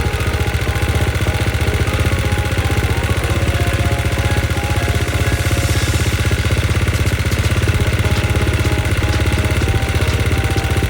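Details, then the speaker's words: KTM XC-F single-cylinder four-stroke, started on a boost once it cranked fast, before top-end break-in ride. Quick, even low thump holding steady with no misses; fires cleanly and runs normally. "But, I mean, that fired up no problem once it had enough, you know, once it cranked over fast."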